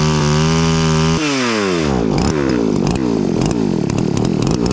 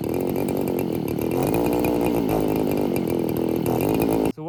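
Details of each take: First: Roughly 40cc two-stroke chainsaw on vodka, no oil, after carb clean: revs up, bogs into the cut and recovers smoothly repeatedly, no stumble. Normal running under load; chain later seized. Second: Roughly 40cc two-stroke chainsaw on vodka, no oil, running super lean; after brake cleaner down the throat it buzzes high and uneven about four seconds then cuts out abruptly. Running briefly then stalling; carb clean planned.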